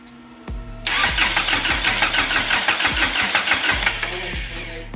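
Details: Lotus-engined Toyota Hilux swap, first start after the starter fix: starter whirs briefly, engine catches with a rough uneven roar for a few seconds, then sags and dies; fires but won't keep running, cause unconfirmed.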